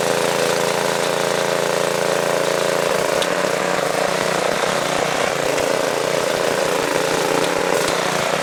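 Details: Tiller running smoothly right after restart: steady, even small-engine drone with no misses, surging or knocks; the no-start was traced to a small piece of debris in the carburetor, cleared with compressed air, air filter refitted.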